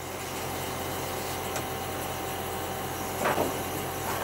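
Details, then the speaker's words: Outdoor air conditioning condenser unit on plain legs on a plywood box, before fitting rubber-spring anti-vibration feet, heard from the side: steady droning hum with low frame buzz under fan rush; unit vibrating slightly, very noisy. "now let's go on the side so terribly noisy I can feel slight very slight vibration"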